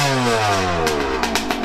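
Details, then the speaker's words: Yamaha YZ125 two-stroke after carb air-screw adjustment, running way better, with more tweaking planned: crisp revving rising and falling cleanly without bogging or sputtering; pulls strongly and sounds healthy. "she's running way better though i'ma tweak her a little bit more though"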